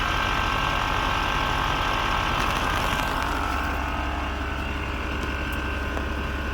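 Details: Audi Q7 idling just after replacing the air suspension compressor and valve block: steady motor hum with no rattling or labouring as the front rises slowly; compressor pumps up smoothly and healthily.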